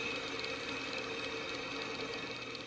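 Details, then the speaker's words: Old serpentine belt tensioner removed from a 1999 Ford Windstar and its pulley hand-spun: a dry, gritty rasp that slowly fades, from worn bearings, so the tensioner needed replacing. "you can see the old belt tensioner here and we're going to spin the pulley and you can hear the bearings inside so this belt tensioner did need to be"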